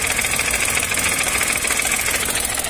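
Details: 2022 Chevrolet Onix three-cylinder, phone near the gearbox, at idle as the clutch is released: a dense, fast metallic rattle from the damper springs of an aftermarket Helper clutch disc fitted under three months earlier. It first seemed to be the pilot bearing; an OEM clutch cured it.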